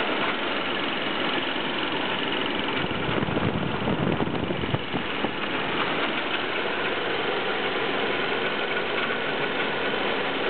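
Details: BMW E36 318is, M44B19 engine, cold start: metallic clatter over the idle while rpm hunts between 1000 and 1500; cause unknown.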